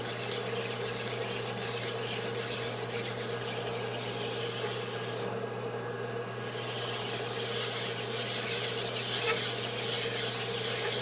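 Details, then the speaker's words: Sunnen honing machine honing a Suzuki TS185 cylinder after boring: steady motor hum under an even rasping stroke, with occasional faint squeaks from the aluminum scrapers between the stone sets; normal operation, not cause for alarm. "The squeaking you'll hear once in a while are the uh aluminum scrapers that are between the stone sets."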